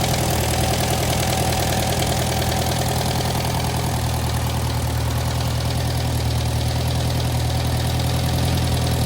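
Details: 1956 French-built Massey Harris Pony 812 tractor, Simca 9 gasoline engine, idling just after fuel pump rebuild: steady, even low thrum with no misses or knocks; no gasoline leaking, runs smoothly.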